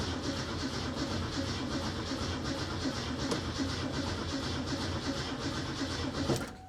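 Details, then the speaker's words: 1967 Mustang with Holley Sniper 1100 EFI that won't run: steady cranking for about six seconds, then it suddenly cuts out and goes quiet; starter stops cranking, cause not yet known. "Okay, it cranked for a second there. Now, let's see if it'll crank again. Okay, it's not cranking now."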